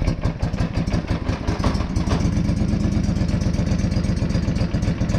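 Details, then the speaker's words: John Deere 425 riding mower idling after muffler inspection found fatigued, broken spot welds leaving a hole: sharp, raspy puffing chuff on every firing pulse, louder than normal, exhaust blowing through the muffler hole; exhaust leak, before repair. "oh there's definitely exhaust coming out of there"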